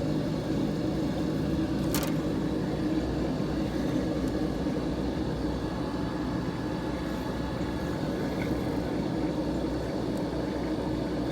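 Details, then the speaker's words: Vacuum pump pulling down a Mitsubishi inverter system after rusted compressor replacement, system open a while with suspected moisture: even, steady low hum with no knocks, surges or rattles; running smoothly. "Chugging along nicely. Check the oil here in a second. I'll probably do an oil change."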